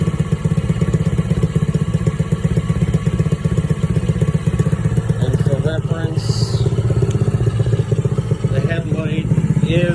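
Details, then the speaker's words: Small single-cylinder engine, new spark plug came out very black, owner suspects it is burning oil; after running 2–3 minutes it idles loudly with a lumpy, uneven beat of about four pulses a second that never settles, a rough idle. "Again, you can also hear it idling very rough. But it is working."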